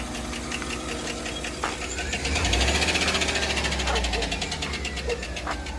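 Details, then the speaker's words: Chevrolet Suburban 5.3 LS V8 at idle after spark plug changed and coil being swapped: uneven lumpy idle with steady light tick about four per second; misfire traced to cylinder 4, lifter tick not yet diagnosed. "we found out that the problem is on cylinder 4 but it has not been diagnosed as a lifter tick yet"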